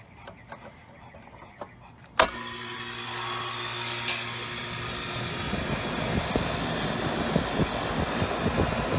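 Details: York air conditioner outdoor unit after capacitor replacement clicks on, starts cleanly and settles into a steady hum with rising fan rush; normal start and run, cooling again.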